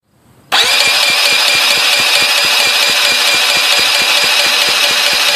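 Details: Honda CH80 scooter cranks steadily with even compression pulses, about three or four a second, but never fires or catches; spark plug replaced, compression not yet checked.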